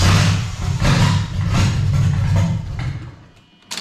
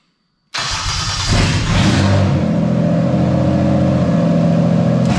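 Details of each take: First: Toyota JZ engine with the MAF mass airflow sensor installed slightly the wrong way round: uneven cranking, briefly catches, stumbles and fades, struggling to start because airflow is misread. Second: Toyota JZ engine with the MAF sensor installed correctly and wired properly: quick crank, catches at once, brief flare, then a smooth steady idle with no stumble. Normal start and idle as a baseline.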